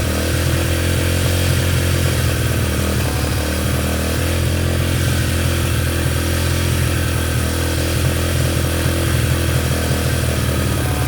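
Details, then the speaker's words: Yamaha TTR125 just restored, first run after reassembly, started with brake cleaner: loud single-cylinder drone with a ragged, uneven beat underneath; running rough, cause not pinned down. "hey so as you saw yesterday the little ttr runs it kind of ran rough but i ran nonetheless"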